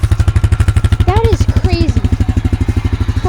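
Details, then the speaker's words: Honda Rancher ATV with 1,400 miles, restarted after six years in storage: crisp, regular single-cylinder thumping at steady idle, no knocks or misses; responsive and healthy, not yet warmed up. "pull again it only has 1,400 miles on it so responsive too nice"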